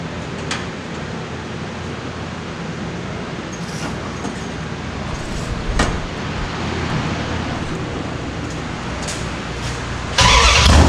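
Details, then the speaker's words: Mopar V8 started after setting valve lash, changing carburetor jets and an oil change. It runs deep and lumpy, revs cleanly, with no carburetor leaks and no ticking or knocking, so the lash sounds right. "There's no leaks in the carburetor anywhere, and everything sounds fine. It's revving good. It sounds like our lash is good."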